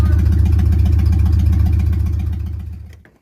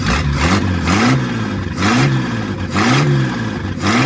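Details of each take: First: Replacement engine in a 1947 Plymouth Special, first crank since sitting from 1975 after freeing stuck valves: lumpy, uneven chuffing about 220 beats a minute, then stumbles and dies; found dead on three cylinders, misfire. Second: 1947 Plymouth Special with replacement engine, first run after sitting since 1975, valves adjusted and firing order corrected: revs up and drops back cleanly about once a second, no stumbling or popping; running smoothly.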